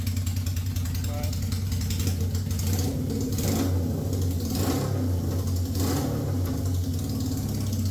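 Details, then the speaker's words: 1971 Honda CB750K1 cafe racer after a burnt ignition coil was replaced, running with the carb vacuum-sync ports open. It idles fast and hunts slightly, and the idle changes when a port is covered by finger. High idle from vacuum leaks. "you are going to be running without with vacuum leaks so it's going to sound off anyway so it's going to sound high idle because of the vacuum leaks"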